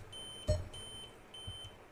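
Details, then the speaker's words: Dell Vostro laptop at power-on and in the BIOS showing a real-time clock error: a thin, high beep in steady pulses about every half second; the fix is setting the date and time in the BIOS, then saving and exiting. "you can still observe that the beeping sound is still is still beeping so now once we've set our date and time let's save and exit"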